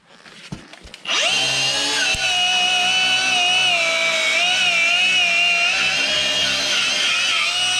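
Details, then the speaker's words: Battery angle grinder with a cut wheel cleaning a mounting surface on a 575 plow: spins up in about a second to a steady mid-pitched whine that wavers slightly, sounding slow and weak; owner suspects the cheap XC battery. "Battery? Yes, it is. I thought that sounded a little anemic. Oh, that's because it's just a XC."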